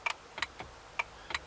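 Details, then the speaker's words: Mk2 ST225 (XR5) windscreen wipers: six sharp relay clicks with no motor hum after replacing burnt 20 amp fuse 129; relay works but wipers never run, owner suspects wiper motor. Wiper relay clicking, wipers not running. "let's give it a go still nothing all right so it's the motor as you can hear when I click the windscreen wipers"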